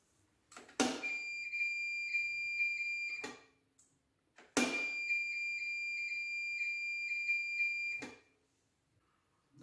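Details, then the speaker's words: Mercedes KE-Jetronic throttle position sensor tested with multimeter buzzer between middle ground pin and full-throttle pin: two long steady beeps at full throttle, silent when released; full-throttle switch closes normally. "as you press the throttle to the full throttle you must hear the buzzing sound and while depressing the lever no sound must be heard"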